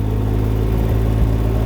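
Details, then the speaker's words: Can-Am Ryker 900 three-wheeler creeping slowly in a parking lot on light throttle: low, even engine rumble with a steady drone, no knocks or rattles; normal low-speed running. "see we're not going fast we're just going slow since we're in the parking lot but this throttles your friend it's the only thing you need"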